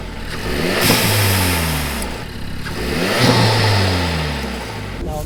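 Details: Renault Megane RS Trophy turbo engine given two throttle blips after refitting the Forge smart spacer and OEM recirc valve, which were suspected of a boost leak found by smoke test. Clean, smooth rises and falls with no hiss or whoosh; sounds healthy.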